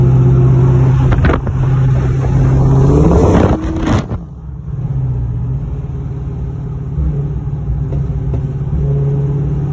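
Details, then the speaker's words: Pontiac GTO, warmed up, on a test drive after new spark plugs. The engine pulls and rises in pitch, then cuts out and bogs before recovering, clearing up at times. Engine stumbling under acceleration, cause unknown, to be logged with HP Tuners. "so the GTO is still having issues breaking up you hear it I don't know what that is clears up every once in a while"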